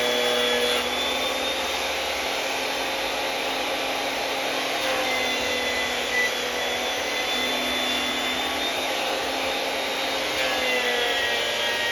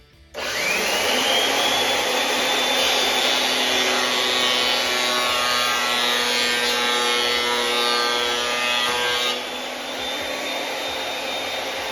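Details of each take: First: Makita 2012 12-inch lunchbox planer with freshly changed sharp knives: steady loud whirr with crisp, even cutting hiss, a sharp scoop-scoop with no smacking or slapping; clean normal cut. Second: Makita 2012 12-inch lunchbox planer before knife change: motor spins to a steady high whine, then rough rasping cut with a coarse slapping, spanking texture; dull knives with a nick leaving a line down the board.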